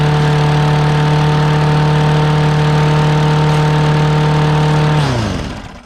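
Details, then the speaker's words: Murray 6HP single-cylinder mower pulled from the trash, just freed up and started: it holds one steady, unchanging speed for five seconds, then dies away, smoking with water in the muffler. Speed doesn't follow the throttle; a governor problem is suspected. "Sounds like we got a governor problem."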